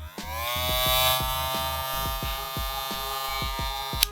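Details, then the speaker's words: Wahl Vapor clipper (8,000 rpm brushless motor), apparently fitted with aftermarket Fanteco blades, running loud: a steady buzzing whine over a pulsing low hum. The owner suspects the blades or a poorly applied blade coating. "I think this noise is caused by the blades or by the material not being properly applied to the coating, right?"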